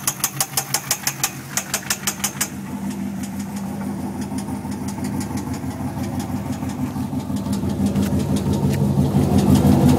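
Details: 6-litre L76 V8 Holden Thunder ute at idle, noise appeared suddenly the day after purchase: sharp, regular ticking about three per second over steady idle; knock, source not pinned down.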